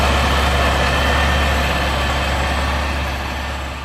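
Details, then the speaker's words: Kraftwerks-supercharged car after repairs including a used OE alternator, cooling system being bled: steady low drone with an even pulse, no squeal, chirp or rattle; earlier engine noise gone, smooth healthy idle. "a little bleeding system and there's good all that noise has gone from earlier"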